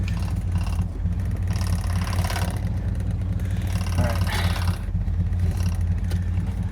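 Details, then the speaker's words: Abandoned 1968 Ford XL with a failed carburetor and weak fuel supply, after trying to drive it: a deep, slow, lumpy idle that sounds ready to stall after the rev. The idle is set too low, and it stalled when given gas in gear. "Woo! That idle's too low."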